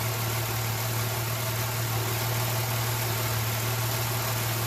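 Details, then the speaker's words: 2006/07 Jeep Liberty that had a random/multiple misfire and a cylinder 1 misfire code, after swapping coils 1 and 3 and wiping water off a coil: a steady, even, smooth idle with no misfire and no code returning. "started up it's running it's weird you don't see a misfire no more Cod hasn't come up yet I'm going to take it for a spin in a little bit but right now it's just running pretty smooth"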